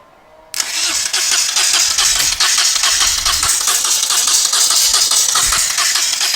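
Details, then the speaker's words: Moto Guzzi twin, not run in over ten years, rebuilt carbs, HT leads swapped, chokes off, float bowls gravity-fed: starter spins at a steady fairly quick beat with no firing; owner suspects too little fuel in float bowls originally. "that was an interesting experiment but maybe the real problem was I didn't have enough fuel in the float balls originally"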